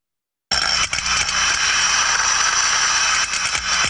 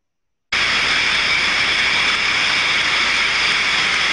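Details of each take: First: Healthy float steam trap heard by contact ultrasound on the steam side, a rushing hiss swelling and dipping unevenly as condensate flow modulates; continuous unchanging noise would indicate a problem. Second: Ultrasonic contact inspection of a steam trap, probe on the steam side: steady unbroken hiss with no flow modulation or pauses, meaning the trap is failed open and passing live steam; continuous noise indicates a problem.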